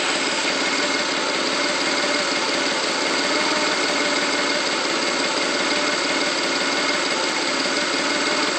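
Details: 1995 Mustang GT, rough idle: busy, uneven chatter instead of a smooth hum. Owner reports the engine stumbles on throttle, then revs with a misfire-like feel and slow acceleration; cause unknown.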